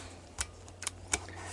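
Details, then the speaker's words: 2000 Kawasaki Lakota ATV after a broken fuse holder, the cause of intermittent starter and stalling problems, was taped tight: sharp dry ticks as the key turns on. The starter relay clicks normally. "guys can hear the relay click and she's ready to go"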